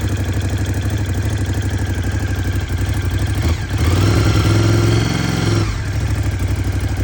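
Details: 2018 Ducati Scrambler 1100 Special, 730 miles, clattering since new, owner suspects piston slap though Ducati calls it normal: rapid dry clatter at idle that swells with a throttle blip then settles; cause unconfirmed.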